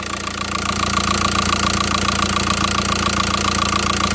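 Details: VW Passat 2.0 TDI PD (BHW) during oil pump conversion, engine covers off: steady diesel idle with even light clatter, about three to four ticks a second, no knock or rattle; the earlier sound is gone and it sounds healthy.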